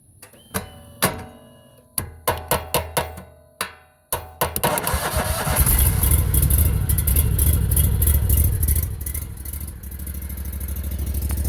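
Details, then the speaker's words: Briggs & Stratton 37 hp EFI V-twin, hard to start due to high compression: several sharp starter clicks with no cranking, then it catches and runs steadily once vibration is applied while the key is held in start; cause suspected. "you're going to hear me click the starter and it's not going to start"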